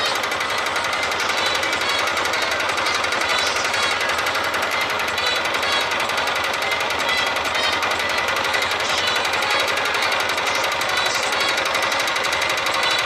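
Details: Honda Titan 150 motorcycle engine running: fast sharp metallic rapping over the single's beat; slight play in the connecting rod, a light rod knock.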